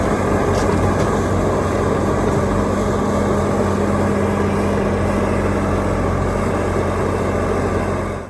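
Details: Bobcat T650 compact track loader (about 1,878 hours) after track repair: steady, even diesel drone with a constant low hum and no knocks, squeals or grinding; machine sounds healthy.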